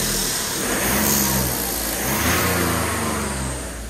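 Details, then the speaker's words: Crash-repaired Cat S salvage BMW 1 Series, engine only briefly run, turbo intake not connected to the airbox, sensors unplugged with engine light on: revs with a high thin turbo whistle climbing over the intake roar. "Sometimes if you rev it, you're really that turbo, because it's obviously it's not connected to the airbox and that, so you can really hear the turbo. Whistling along."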